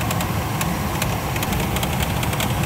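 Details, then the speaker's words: 24-year-old Chevrolet Astro camper van: fast, light clattering ticks over a steady idle from the engine bay with the A/C on, worse when revved; fixed by replacing fan belt, tensioner and idler pulley. "先日エンジンルームからカタカタと音がしていましたエンジンをかけて確認したいと思います"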